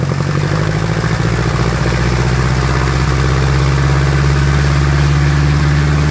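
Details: Piper Apache piston aircraft engine, run-up after rebuild: loud steady deep drone holding firm even pitch at higher power, no skips or knocks; normal healthy run-up.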